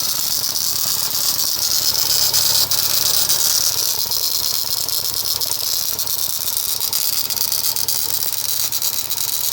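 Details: VW EA111 engine: steady fast metallic rattle, roughly three a second, over thin hissy background at the crankshaft pulley; something loose there, cause unclear, solution sought.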